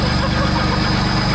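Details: 2008 Land Rover Discovery 3 TDV6 under rebuild, no exhaust fitted, just started: a steady, even diesel idle with a regular low knock rhythm and no misses or stray noises, running healthy.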